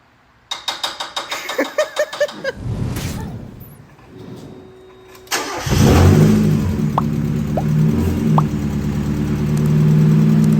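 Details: Mazda Miata MX-5 NA/NB after oil pan replacement, first start: starter cranks in quick even pulses, engine catches cleanly and settles to a smooth, steady idle with no knocks or rattles.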